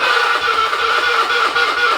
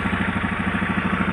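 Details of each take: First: Honda Beat carburetor scooter with an ignition/electrical complaint, after fitting a new original rectifier: starter whirs, the engine catches and settles into an even idle, then restarts cleanly; the CDI is judged good; normal start. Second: Honda Beat carburetor scooter brought in for abnormal ignition/electrics. Quick, light, even ticking over a steady idle that keeps time with the engine and is clearest at one spot on the engine. White smoke noted; cause of the tick unknown.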